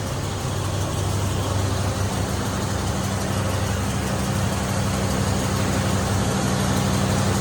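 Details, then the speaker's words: Idle of an old V8, running smooth like an old clock. The deep, steady, even rumble has no knocks or misses. Only the added electric fan is audible; it also has an upgraded Chevy alternator. Normal idle. "Running like an old clock, bro. Wouldn't be for that electric fan that I put on it, you wouldn't even hear it run."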